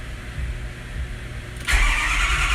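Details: Diesel with no glow plug codes and compression that sounds good, suspected logic-side failure: the starter spins it over evenly without a single firing stroke, then a sudden rush of noise; it cranks but won't start.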